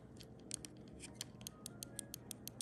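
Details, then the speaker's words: Computer mouse after removing and reinstalling the part in both switches: quick crisp clicks, a few each second, sounding better; left switch sounds thinner, weaker than right, possibly from heavier left-click use. "This one on the left sounds a little more anemic than this one. Well, that could be because this one's been used a lot more, because left click is more prominent."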